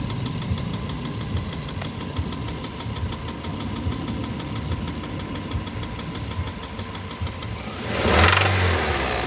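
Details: 2005 Toyota Avensis 1.8 VVT-i petrol engine idling and revving, with a steady knocking tapping clearly noticeable above 1500 rpm, standing out as revs climb.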